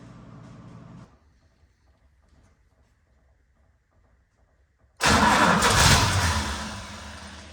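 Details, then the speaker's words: 71–72 350 engine in a split-window Corvette coupe, not run in about 30 years, first start on an electric fuel pump with inline filter, timing not yet set; after quiet seconds it catches with a loud burst that fades, firing on carburetor prime. "Well, she fired first time. That's pretty amazing. This car hasn't been on the road in 30 years and it fired."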